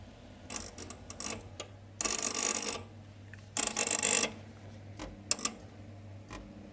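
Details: Ideal C28 Mini boiler: quiet hum broken by harsh buzzing/grinding bursts under a second and clicks, apparently from area of three-way diverter valve, gas valve and DHW flow switch; intermittent, growing more regular; owner suspects a trapped-fan-like fault.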